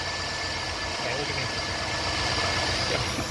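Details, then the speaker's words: Steady even idle after replacing the serpentine belt on a 2007–2014 Chevy 5.3L truck with electric fans; belt drive now quiet, whine seems reduced after the belt change. "I think it's less wine it's just the sound of the end"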